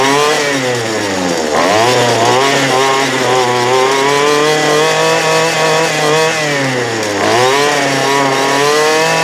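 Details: 2008 Poulan Pro PP25E 25cc straight-shaft trimmer, abused, with misrouted fuel lines and a clogged carb screen, running again: raspy high two-stroke buzz, steady with two brief rev dips and recoveries, smoking off garbage; still needs carb adjustment.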